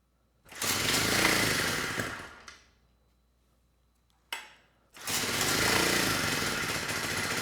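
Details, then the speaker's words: 1970 Honda E400 generator, not run in over a decade, uncleaned carburetor, on choke, only a couple volts output: catches and runs about two seconds, fades and stalls, then refires running unsteadily; dirty carburetor. "let me see if I can turn that choke off manually and now it just stalled so I'm gonna try to let it run a little bit longer see if that choke will come off and if it can get up to speed"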